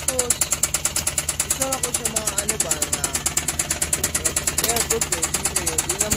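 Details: Suzuki K6A engine at light idle with a sharp, regular metallic knock about three per second, louder than the engine; damaged piston and liner.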